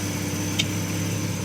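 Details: Volvo 164E with D-Jetronic injection, started at night after priming: steady, even low hum with a faint high whistle on top, no misses or knocks. Smooth, healthy normal idle; some smoke from spray burning off.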